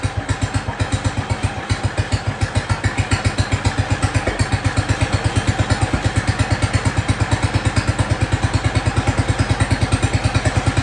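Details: Jacobsen Chief 1200 tractor, cast-iron Kohler 301 single, after sitting about 3 years; aftermarket Chinese carburetor adjusted. Deep, even thumping at a steady low idle with no stumbling or misses. No smoke; normal idle.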